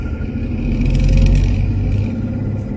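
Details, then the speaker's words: Jeep Grand Cherokee Laredo driven in rain with bearing-grinding complaint: heavy low rumble swelling and fading with road speed; first thought a bearing, later found notchy driveshaft, driveshaft to be replaced. "ah do you hear that didn't have to drive far oh god that sounds terrible"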